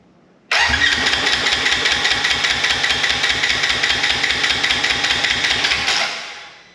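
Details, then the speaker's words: Wrecked 2016 Polaris RZR 900 S after ignition switch fix: steady cranking, about 2.5 compression beats a second for five seconds, never catches; spark now present, owner suspects injectors plugged from long sitting. "all right we got spark now so that tells me more likely those injectors are plugged from sitting all this time"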